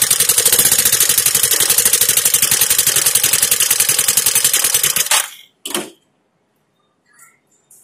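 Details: Suzuki Access 125 scooter idling, then shut off after five seconds: sharp rapid regular ticking, a tappet tick from oil starvation caused by a clogged oil filter that lightly wore the rocker; the filter was replaced to restore oil flow.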